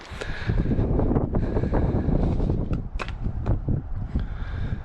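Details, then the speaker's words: Kubota KX080-3 excavator after a new pin, shims and bushings on the quick connect/thumb (worn pin and missing shims had caused clanging): working with only a light rattle from slack, no squeal or shaking. The coupler pin joint sounds normal. "So not much room left, but I don't hear it squealing and hollering, and it's not shaking, only rattling is a little bit of slack up there, but I think that'll be good."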